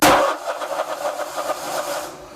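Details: Briggs & Stratton Vanguard 35 hp road cutter left unused long, battery jumped: starter spins with even pulses that fade and never fire; carburetor fuel solenoid not clicking, stuck, so no fuel supply.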